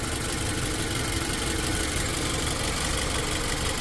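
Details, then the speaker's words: 2008 Toyota Camry (also listed as 2009), check engine light on, engine only partly warm, AC switched on: lumpy, shaking idle with stumbling thumps that ease briefly then return. Scanner shows misfire on cylinders 1 and 4 from low compression. "so as you can see now shaking pretty bad I guess it gets a little bit better"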